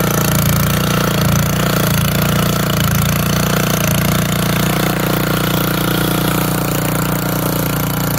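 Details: Old auction-bought Montgomery Ward tiller with tines digging into hard, packed dirt: a strong, steady engine drone that holds its pace with no knocking or misses. Healthy running under load.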